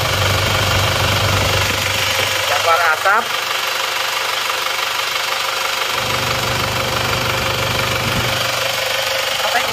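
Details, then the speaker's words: Isuzu Panther 2.5 diesel after engine repair that cured its blow-by, first idle after start: steady, even low hum, described as smooth and even, no knocking or misses; normal idle, oil filler cap then checked and fine. "Alhamdulillah mesinnya halus ternyata ini suaranya seperti ini suara mesin seperti ini rata ya"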